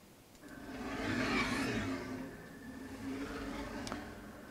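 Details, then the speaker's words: KR33 mini CNC homing/rapid moves with ClearPath servo: whirring tone rising and falling each move, from a used ball screw actuator hanging between two beams, not the motor; ball screw noise. "now the noise that you're hearing that's the boss very I'm not sure what this actuators previous life was how much it's been used it feels very tight to me but because it's hanging between these two beams on the bottom it does create"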